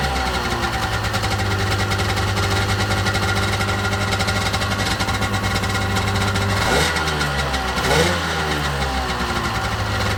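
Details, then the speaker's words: 1995 Sea-Doo GTX two-stroke after exhaust leak repair with new gaskets and RTV, started on choke: steady burble with quick throttle blips rising and settling cleanly, no leak or misfire; running good. "Running good. Sounds good."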